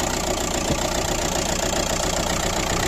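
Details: Ford Galaxy 1.9 diesel just started with a booster pack on a weak battery (11.4 V, 14 V with booster): even, steady diesel clatter at idle with no misses; normal idle.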